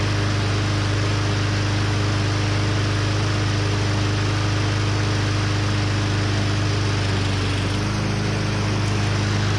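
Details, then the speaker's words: Husqvarna AWD mower with Briggs & Stratton 625EX engine, pulled from a landfill, after possible carb issues cleared as the float bowl filled: steady, even run with a smooth low hum and no misses or knocks; normal running. "Might have just been taking a minute to fill up the bowl. Sounds good."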